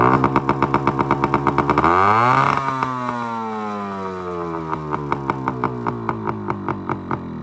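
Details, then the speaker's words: 1974 Yamaha RS100 two-stroke cafe racer after points timing: crisp ringing exhaust revving and settling, popping evenly about three pulses a second; running normally, burning out oil sitting in the exhaust for a couple of years. "so it's gonna have to burn all that oil out of the exhaust that's been sitting in there for a couple of years that's the only way to get it out is to actually run it"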